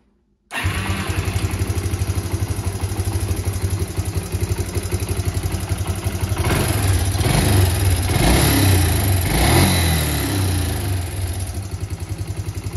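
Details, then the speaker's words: Yamaha Breeze 125 quad, fairings off, after repairing a frayed, broken throttle cable that had kept idle stuck high: the engine catches and settles into an even single-cylinder idle of about four pulses a second, briefly rising then easing; healthy idle. "Et puis, ça va tourner nickel. Écoutez-moi cette douce mélodie, les amis."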